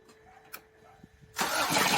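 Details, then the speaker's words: 1990 Toyota 4Runner 22RE with 250K miles, running on only two cylinders, cranked with plugs out to blow fluid from the cylinders. Leftover fuel briefly fired, giving a sudden loud rough boom. The cause is still unconfirmed. "did you hear that loud oh at the end yeah cuz I didn't have the plugs in it was like boom"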